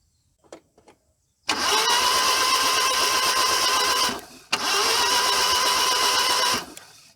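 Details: A Maruti 800 engine starts at once twice and settles into an even, smooth idle. After the spark plugs were changed, the random misfire and vibration it showed when hot after 30–40 km are gone.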